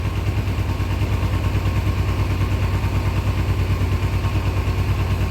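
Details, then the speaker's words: 2000 Kawasaki Ninja 250 bought cheap and revived: twin holds a low, lumpy, hunting idle after high revving to keep it running; rough idle from dirty carburetors still awaiting a carb rebuild kit. "All right, looks like we got it to an idle, somewhat. Still not happy. We got to get the carburetor kit and everything."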